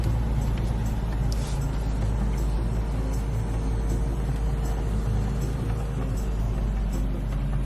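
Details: Infiniti QX70 after dealer goodwill radiator replacement following a radiator leak and engine overheat: smooth, even low idle hum with no misses, ticks or whine under cabin sound; no engine light, runs healthy.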